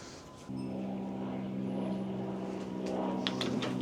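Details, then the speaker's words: Dump trailer hydraulic pump after replacing a KTI pump with a different unit, run on a bigger battery: steady low electric motor hum with a firm, even pump drone that holds pitch as the bed lifts; healthy and sounding more powerful. "It sounds a lot better, honestly, that we switch the I know that sounds weird, maybe because it's a bigger battery, but it definitely sounds like it has more power."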